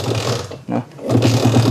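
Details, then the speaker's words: Jupiter MX motorcycle that is hard to start and stalls: it catches, sags almost to dying, then recovers into an uneven, lumpy idle and won't take throttle. Judged to be stumbling from too little or too much fuel, pointing to carburetor setting. "Oke, Mas Bro. Intinya motor ini mbet brebet brebet begitu. Oke, berarti rumusnya adalah brebet."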